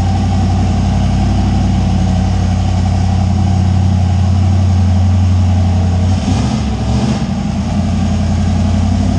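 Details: Deep, steady idle with an even lope and no misses or surging from a 358W 80mm-turbo Fox Body V8 just started after the injector ground was wired; sounds healthy at rest.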